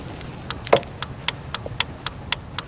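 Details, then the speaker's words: Jeep Liberty, panic button pressed with the horn fuses removed: crisp evenly spaced clicks about four per second with no horn; horn relay clicking, showing the circuit responds with the fuses out. "that's the ticking that's basically showing me that it's basically responding and the fuses aren't there"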